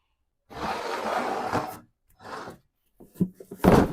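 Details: 1995 Toyota Camry, 265k miles, hub turned by hand with the wheel off: rough, gritty grinding in bursts, then clunks, from a worn front wheel bearing, worse with the wheel's weight on it.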